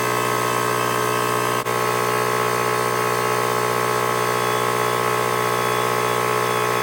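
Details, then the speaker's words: Husky 33 gallon air compressor (model C331H) after pressure switch replacement, cutting back in after air use: steady even motor drone with smooth pumping beat, no knocks or rattles; running normally. "so there you saw it thing is working great"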